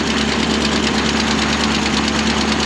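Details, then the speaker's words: 1964 International 1700 4x4 tow truck, V345 two-barrel V8, oil pressure near 60: even, steady idle with smooth continuous hum, no tapping or knocking; engine charging and sounds healthy. "the roll PCH is almost up to 60 there buring like a kitten sitting here idling all on her own"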